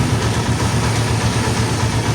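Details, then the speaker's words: TMX155 single-cylinder motorcycle after reassembly fix (gears levelled): steady even idle pulse as first gear is selected and the clutch lever slowly released, with no grinding, unlike the loud gear noise before; gearbox healthy. "Hawak sa clutch, Primera. Tapos unti-unti natin bitawan yung clutch lever. Yun. Okay. Ayos na mga bro. Perfect."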